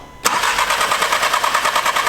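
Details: Audi S3 after straight-pipe/exhaust and cooling work with fuel lines disconnected and reconnected: starter cranks in an even fast chug but the engine never fires; crank-no-start, suspected unplugged fuel line or return.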